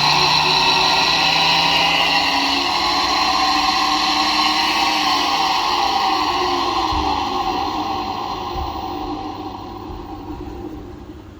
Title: Disturbing grinding noise from faulty dryer fan